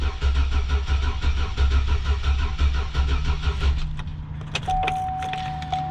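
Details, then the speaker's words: 2004 Chevy Silverado cranking on a jump box after its crankshaft position sensor was replaced with a junkyard part; steady cranking about three turns a second that never catches. Later suspected cause is jump box voltage dropping to about 8 V. Crank, no start. "So it doesn't seem like she's working still. Let me go grab a scan tool and see if maybe I gotta clear the code for the crank sensor first."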